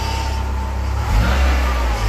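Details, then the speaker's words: Car engine idling then revved, loose tinny rattle over deep exhaust note from broken baffle inside the centre exhaust silencer. "rattling you can hear is the baffle inside the center exhaust silencer which is completely dumb"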